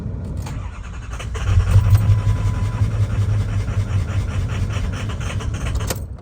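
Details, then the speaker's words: 6.0 Powerstroke diesel after fuel filter and pump housing water separator upgrade: starter cranks in a steady low churning rhythm for several seconds but never fires; owner suspects air still in the fuel system after cycling key to bleed it; crank, no start. "Nope. All right, we're gonna wait till tomorrow because we're gonna have to crank it a few times and it's getting late tonight."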